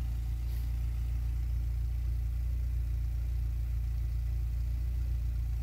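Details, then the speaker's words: VW Golf 3 idling after fitting a new rear silencer to replace the broken one: steady, even low idle burble with no puffing, ticking or hiss at the joints; sealing checked by hand and perfect. "en tout cas, l'étanchéité est nickel. quand même mettre la main pour voir."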